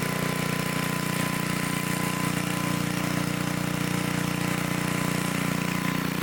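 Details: 1972 Dayton 3,000 W electric-start generator, unused 30 years, after reassembly: steady even note at constant speed, no knocks, surges or hunting; running healthy.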